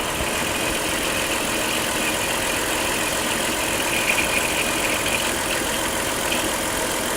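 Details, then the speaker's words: With the engine running and the wheel steered back and forth, the power steering pump gives a steady hissy whir and faint high whine because the fluid is low; the old fluid is no longer bright red. "is what happens when the food gets a little low go ahead and add a little food let's go ahead and steer back and forth again"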